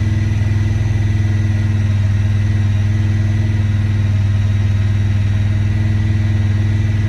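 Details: 2017 Honda Pioneer 1000-5: fast idle holding high and slightly uneven, about four beats a second; code 9-2 (IACT). Cause: factory over-crimped wires broken inside insulation at the IACV plug on the throttle body under the air box; fixed by replacing the plug and re-crimping.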